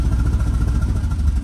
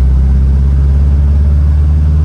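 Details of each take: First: 1967 VW Type 3 Squareback with a new Pertronix SVDA distributor, engine during break-in: uneven, lumpy chuffing surging and sagging, held on the gas pedal, almost dying and then stalling; rough running from ignition timing way off. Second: 1967 VW Type 3 Squareback on a road drive after fitting a Pertronix SVDA vacuum-advance distributor and re-timing, during break-in: deep, steady, even thrum under load with no misses or knocks; the engine runs smoothly.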